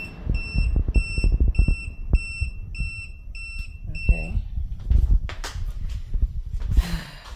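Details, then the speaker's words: AllPowers R1500 power station running a portable air conditioner: shrill beep about twice a second, eight times, then stops; likely AC overload protection tripping, reset uncertain. "there must be that overload protection and all that let me see if it's going to come back on by itself or I have to reset"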